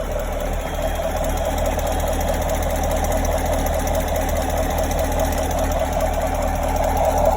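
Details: 2017 Chevrolet Camaro 6.2L V8, about 20,000 km, stock, warm idle: light fast tick about four per second over the idle; occurs only when warm, from rear driver-side engine bay, loudest underneath near oil filter/pump; cause unknown, owner fears engine damage.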